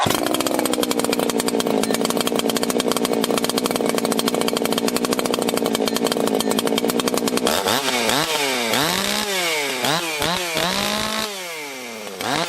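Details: 1980s Husqvarna 281 two-stroke chainsaw, warm restart without fast idle: runs steady, then revs rise and fall under cutting load, clean without crackle; normal running.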